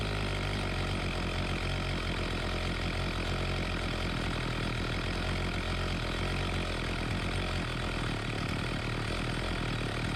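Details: Homelite 4218C chainsaw after carburetor tightened back up, adjustment screws reset and fresh fuel added: steady, even two-stroke buzz with no stumbling, surging or dying; holds idle cleanly, stall and bog-down fixed.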